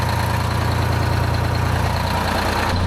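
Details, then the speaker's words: 1975 Peterbilt 359, Detroit 12V71 V12 two-stroke diesel; right bank cold and one side smoky, cause was low fuel pressure, now fixed: deep even rumbling idle, regular low pulse, no misses; crisp, heat even side to side, normal idle. "it's pretty Crisp that's much better sick I think we got her licked boys that's all it was is fuel pressure"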